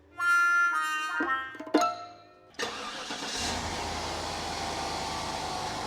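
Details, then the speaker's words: $800 car after switching from a 90in to a 74in belt that bypasses the AC compressor: the engine catches and settles into a smooth, even run with no belt squeal or chirp; normal running. "Sounds so much better. Oh yeah, that sounds good, dude."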